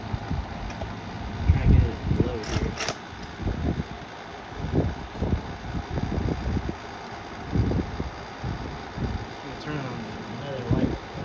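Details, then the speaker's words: Antique Delco repulsion-induction motor (Frigidaire, roughly 1920–1945) running: uneven low clunks and rattles over a steady hum, coming from a brush lifter mechanism that barely moves; cause not yet clear. "See that brush look? It barely moves. Oh, and that's is that is what is rattling."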